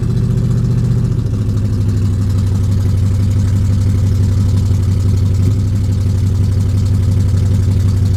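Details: Normal start and idle of a carbureted Buick Regal after letting the fuel pump prime and pumping the pedal while cranking: about a second of cranking, then it catches and settles into a steady, even low idle with no misses.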